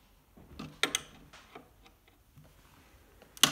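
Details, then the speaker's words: Polyester piano bench after its squeak was fixed by tightening the nuts on all four sides: shifting under weight now gives only a few soft wooden taps and clicks, with the squeak mostly eliminated. "much better so there it is squeaks mostly eliminated from the piano bench well thanks for watching"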